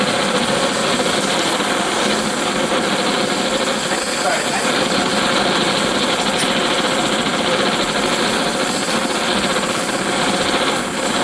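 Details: Antique paraffin blowlamp, newly assembled and tested outdoors: a loud, even hissing roar with no sputter or gaps throughout; the burner is lit and running properly.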